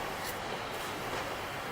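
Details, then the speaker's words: Bicycle thorn-proof inner tube removed after going flat, inflated with a foot pump: steady airy hiss with no rhythm or pitch change; air escaping through a small puncture in the tube. "Alright, it's not real obvious to me at first, so I'm going to put some air in it and see if we can blow it up to the point it shows itself. I have the trusty hand pump, foot pump. Oh, I can hear it."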